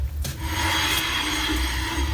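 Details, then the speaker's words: Rover P5B front right wheel, jacked up and spun by hand after the car pulled right under braking: a constant dry scraping rub, the brake binding; caliper binding suspected. "okay as I suspected this and binding going on there I can hear it quite clearly"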